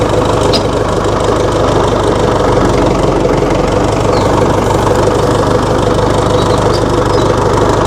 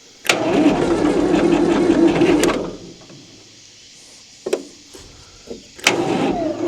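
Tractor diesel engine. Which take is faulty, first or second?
second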